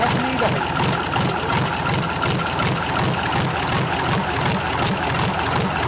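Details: Freshly overhauled Tatra 148 diesel, first start after three years, cold: steady, even idle with regular low beat, all cylinders firing, no knocks or misses; white smoke until warm said normal.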